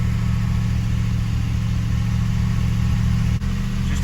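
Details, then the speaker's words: 1974 Jensen Interceptor, Chrysler Mopar big-block V8, first start after replacing a noisy hydraulic lifter and reinstalling rocker shaft (bolts 25 ft-lb): steady even idle, smooth low rumble, valve tapping now gone; normal idle. "well that valve noise this tapping noise has just gone"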